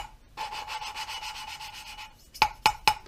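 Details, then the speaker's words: Hand-lapping a valve into a carbon-fouled cylinder head with compound: a gritty rasp that thins as compound leaves the seat, then sharp taps to pull it back; normal lapping, cutting evenly. "can hear the grinding compound working. And as that noise thins out, that means the compound's moved away from the actual seat and margin, and the tapping pulls the compound back into the area that needs to be ground."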